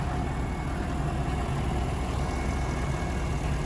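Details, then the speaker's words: 2017 GMC Sierra 1500 Denali petrol engine, hood open: smooth, even low idle rumble with no knocks, ticks, whines or squeaking pulleys; normal idle. "Sounds good. It's not making any weird sounds. Not picking up on anything that's sticking out."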